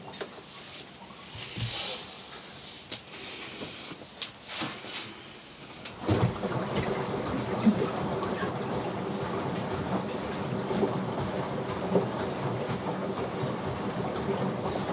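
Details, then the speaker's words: Samsung front-load washing machine on rinse and spin after clearing a major clog from the drain pump and the bowl-to-pump hose: steady low pump hum with water rushing through as it drains; pump not burnt out, normal drain pump operation. "oh that sounding good that is sounding good let's have a look oh look at that fixed it there you go how good is that well the pump is good the pump is good we don't need to replace the pump"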